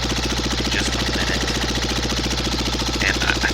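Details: Cub Cadet Model 123 garden tractor engine running with muffler removed: rapid, regular tapping knock over idle, some smoke at exhaust port, owner suspects oil burning; internal engine knock, cause not yet determined.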